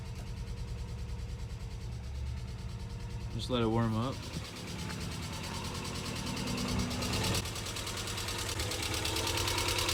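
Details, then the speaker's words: Subaru EJ22 at idle in neutral, first start after reinstalling the engine: steady idle with a light, quick tick about three per second over the engine note, a valvetrain-type tick, possibly lifters. "definitely some weird sounds two weird sounds there's that tick which you could probably hear"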